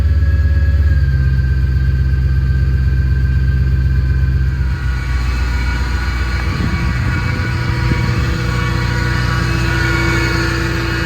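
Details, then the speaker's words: 2006 Ford Mustang GT running, heard with door open: steady, sustained supercharger-like whine over the rumble from a failing water pump bearing, leaking coolant and nearly overheating; power steering pump replacement had not cured it. "So that's the wine. There's a water pump right here."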